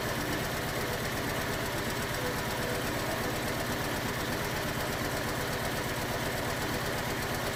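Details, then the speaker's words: 2011 Ford Ka 1.2 petrol, P0203 scanned earlier; after codes cleared and airbox refitted it still runs badly: uneven, stumbling idle with a lumpy irregular beat around three per second, engine misfiring, cause still unknown at this point. "we're going to start this thing and is running like crap it's really running bad running poorly yeah it is"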